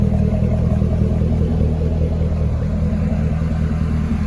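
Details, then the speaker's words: C6 Corvette with an LS3, running after an oil and filter change with the factory stock active exhaust valve open: a deep, even V8 rumble with no misses, knocks or rattles. The engine runs normally. "And that's with the exhaust open at the moment, so we'll let it run through. Let the fluids pull up on the engine. That sounds really good. It really does for being factory stock exhaust."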